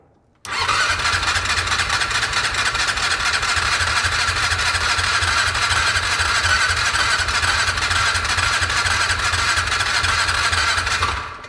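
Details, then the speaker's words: 2002 6x6 that sat a long time with probably bad carb fuel, on a Milwaukee battery adapter. About eleven seconds of fast, even cranking with soft compression pulses and no firing: no-start from low compression. "did y'all hear that a second ago it sounded like it wanted to"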